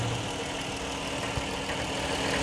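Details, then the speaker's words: Engine near 200,000 miles, warm idle, reported as ticking with codes P06DD, P0430 and P0420: a low rough growl rather than a valve tick; flywheel suspected, not confirmed. "well there you go I can hear some growling oh y'all hear that"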